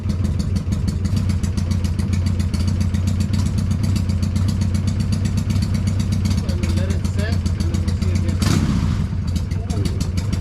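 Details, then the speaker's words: Freshly built Hammer Performance 1250 Harley Sportster (ex-883) during 30-40 second break-in warm-ups, no cam work: fast steady light ticking over lumpy twin idle; owner worries about oiling, cause unconfirmed; top-end ticking. "We want to make sure everything's getting oil, because I'm hearing a ticking. I'm paranoid. I hear it ticking on the top end, but there's no cam work, so it shouldn't be anything different on the top end."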